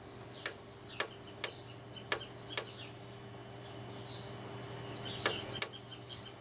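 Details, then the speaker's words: Lilin DVR hard drive: soft irregular head-seek clicks over a faint steady hum, spinning without getting stuck, no scraping or clunking; normal spin and seek. "we hear the hard drive going that's spinning but it's not getting stuck"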